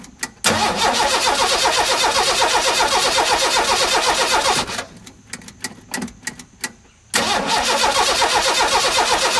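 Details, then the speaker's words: 1985 Ford F-150 with the 300 straight-six at 240k miles, first crank after a cam gear replacement: steady fast starter cranking, two tries, never fires. It cranks but won't start, so spark is checked next. "hmm doing much of what it did when i first got the thing home not start"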